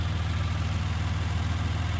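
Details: 1990 Dodge Grand Caravan LE being revived after restoration work, warm with good oil pressure and temperature: fast, even knocking, about six per second, over a smooth idle, from the failing radiator cooling fan, at first mistaken for rod knock.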